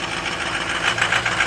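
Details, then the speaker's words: 2007 Ford F250 6.0 diesel at cold start after glow plugs heated, a little smoke at startup, fluids checked; steady even diesel clatter at cold idle with no knocks or misses, sounds normal. "sounds pretty good for as cold as she is I checked all the fluids first we're good"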